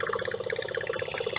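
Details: Whale FP0184 Watermaster water pump in a 16-month-old Bailey motorhome, refilled after winter drain-down and repaired, with air still in the filter before full pressure: even, rapid pulsing hum at about fifteen beats a second, no stumbles; normal pump running.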